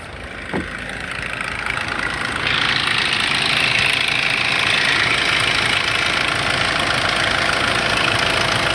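Engine fires and settles into idle with a bright, even metallic rattle, about three a second, over the diesel clatter; chain rattle suspected.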